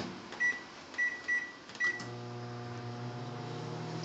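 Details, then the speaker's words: Samsung microwave running as a loudness comparison for the convection fan of a Samsung induction range: keypad beeps, then a steady low hum with an even fan whir; normal operation. "that little fan on the oven is nowhere near as loud as the microwave. And this microwave is actually pretty"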